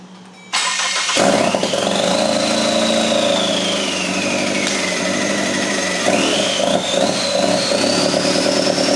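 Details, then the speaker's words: EcoBoost engine on a stand for a RWD Ford Fusion swap, first start on factory harness, no boost piping: runs unevenly with a wavering whistle, sounding worse; throwing throttle codes, owner suspects loading up with fuel, possibly oil still in turbo. "well it's sounding increasingly worse but the throttle works too so that's sick"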